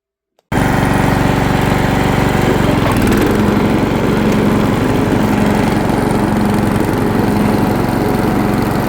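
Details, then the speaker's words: White Outdoors lawn tractor, run again after sitting about 2 years with earlier carburetor issue: fires up slightly smoky and holds a strong, even drone while mowing wet grass, no misses or knocks. Normal running under load. "Running good. Mowing decent. Grass is still really wet, but it's doing all right."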